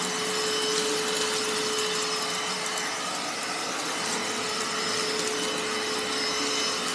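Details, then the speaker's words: Panasonic MC-E468 vacuum cleaner after beater-bar repair, belt somewhat loose: steady even motor roar with constant high whine and brush rotor spinning smoothly with beater bar engaged; runs healthily, though it tends to push debris. "whoa the beater bar is engaged they can hear it flip it back let's go"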